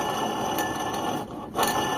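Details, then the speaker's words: Mitsubishi Lancer, 4G15 or 4G13 engine, A/C compressor pulley spun by hand: dry gritty rasp fading and returning each spin; worn pulley bearing, to be replaced. "So yan yung maingay mga boss kaya kailangan nating palitan ng bearing. So bearing lang naman yan mga bossing dito sa pulley."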